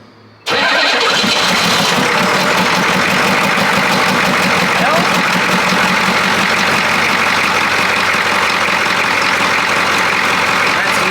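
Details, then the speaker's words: 1982 K5 Blazer diesel, first start after sitting, glow plugs cycled: brief crank, catches at once, steady even idle clatter with no misses, charging, no smoke; healthy start. "well well well that's the first time I've heard it and I was not staged huh sounds good it's charging sounds good and it shuts off"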